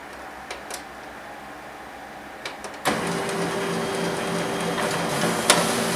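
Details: HP LaserJet P2055 reassembled from parts after full disassembly, test printing: a quiet room, then a steady whir with light rhythmic paper-feed ticks and no grinding. A little smoke was noted during the test run. Normal printing.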